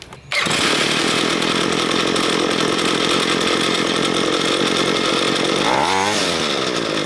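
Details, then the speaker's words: Ryobi ES30 two-stroke string trimmer after carburetor cleaning, idle mixture screw turned in another half turn after running too rich: small two-stroke buzzing high and steady without hunting, surging or dying; mixture sounds about right, normal running. "it sounds about right"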